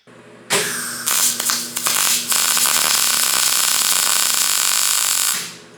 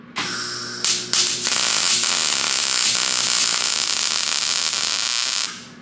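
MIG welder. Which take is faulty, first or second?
second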